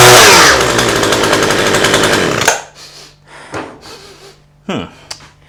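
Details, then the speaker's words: Cheap flea-market two-stroke hedge trimmer said not to run, started after priming on full choke: small engine buzzes evenly at high revs a couple of seconds, then cuts out; sounds healthy, though a burnt smell is noted. "ignition choke fuel why I want it run it runs sounds nice and they say it they said it wouldn't"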